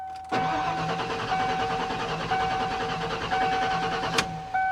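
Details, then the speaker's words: 1995 Ford F-150 at 292,717 miles, not running: starter cranks evenly about four seconds with no firing, almost seemed to catch; crank-no-start, no spark from a failed distributor pickup coil. "No. It sounded like it almost tried to hit. No."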